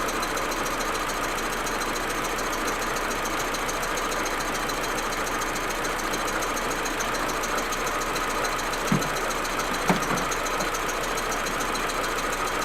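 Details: Audi A4 1.8T idling roughly and stuttering when cold, uneven hum with occasional stumbles and pops; smooth once warm. Plugs, coils, ignition amplifier and many broken vacuum hoses already replaced; owner suspects injectors or carbon buildup, cause unknown.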